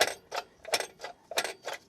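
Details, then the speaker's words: Nissan G35 coupe (VQ35DE), clutch fork rocked by hand with boot removed, slave cylinder leaking and no clutch pressure: dry scraping metallic clacks about three times a second; the clutch release (throwout) bearing has come apart and needs replacing, likely with the clutch. "I started playing around with this guy and uh if I swing it back you you can hear the bearing has come"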